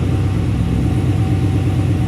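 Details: 1967 Chevrolet C10 on No Limit chassis with LS3 V8 and 4L60, started via push-button start: smooth, even idle with low steady burble and no misses; running normally.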